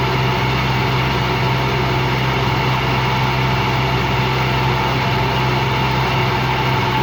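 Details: Washing machine run empty on rinse and spin: constant rough growl under steady drone, no rhythmic knock; drum not loose, owner suspects worn motor or drum bearings, spin not reaching full speed at the end.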